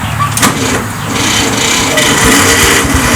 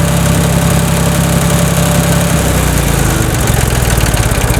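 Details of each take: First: Tractor with a snapped starter housing and fried solenoid: a loud, rough groaning crank with uneven pulsing, about four a second, instead of a smooth spin and hard to start; the starter motor is failing. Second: Tractor after replacing the broken starter and fried starter solenoid: starter spins briefly and the engine catches quickly, almost like a car, then settles into a steady, even idle; a clean, healthy start.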